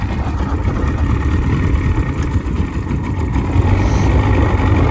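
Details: Outboard on a boat that sat in a barn for years, first run back on the water at the river launch with fuel and battery hooked up, idles with a dense, steady low burble, no misses, knocks or rattles; normal idle.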